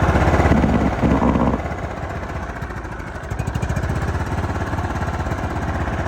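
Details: John Deere LT155 riding mower, found to be a no-crank, no-start after purchase that ran about 5 seconds then shut off; started with choke: small single-cylinder engine chugs at a steady, even beat without misfires or stalling.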